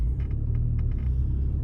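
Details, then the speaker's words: 2003 Mini Cooper S 6-speed after replacing both front CV axles, on a test drive. Steady low road rumble, smooth and even, with no clicking or clunking from the axles; all good. "Okay, that one is done. Just got back from test drive and she's all good."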